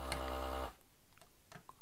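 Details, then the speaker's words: Desoldering a relay from a damaged circuit board with a vacuum desoldering tool: a steady humming pump tone, then light clicks, with vacuum whistling freely through the cleared gaps between pins and holes, as wanted. "if you can hear the vacuum whistling through the gap between the pins and the holes at their own that's really what you want"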